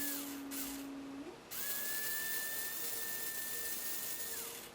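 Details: Tyco 440x2 slot car hop-up: 3.5 ohm unbalanced armature drawing about 1.8, Pro-8 motor magnets, Pro-10 traction magnets, standard brushes and shoes; clean steady electric whine rising in pitch as voltage changes, no rubbing or ticking; motor running normally.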